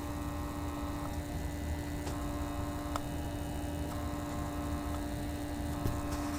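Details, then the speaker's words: Thermalright Frozen Prism 240mm AIO pump at 100% with cover removed, microphone about 6 inches away: steady low hum with faint thin whine; gentle pressure on the unit's middle almost entirely stops it, suggesting housing resonance. "This is the same test with the pump cover removed. If we apply some gentle pressure to the middle of the unit, the noise almost entirely disappears."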